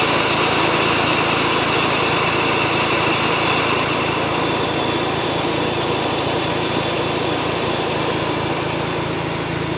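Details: Mazda RX-8 rotary engine at warm idle: light regular ticking about three or four a second, intermittent, on about two minutes and off about 15 seconds; owner unsure if normal.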